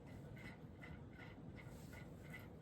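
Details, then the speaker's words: Early-1980s Magic Heat ceiling fan with weak Westinghouse motor on high speed (0.56 A, 66.7 W, power factor 0.97): faint knocking about 2.5 per second over fan hum, barely any airflow; rhythmic vibration, source unknown to owner. "I don't know what's making that noise. I don't like all these noises I'm hearing coming from it. It's actually quite scary."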